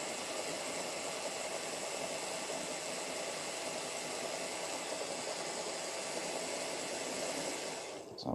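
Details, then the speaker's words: 30-year-old Hornby Class 37 model locomotive on a rolling road after oiling, run for a few minutes; smooth, even high-pitched motor whir with steady hiss, much quieter than before; normal running. "right it's been running for a few minutes now letting that oil work in and as you can hear now it's a lot quieter"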